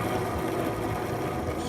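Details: 1979/80 Arctic Cat snowmobile suspension bogie wheel spun by hand on the bench after removal from a seized suspension: rough, gritty rushing instead of the silent spin of a good wheel; bearing sounds worn, replacement bearings considered. Cause suspected, not confirmed.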